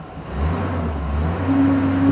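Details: 2001 Silverado V8 after repair, with P0300 cleared: brake-torqued under load with a steady, even, deep drone and no audible stumble. The scan tool still shows a few minor misfires, nothing significant; engine running healthy.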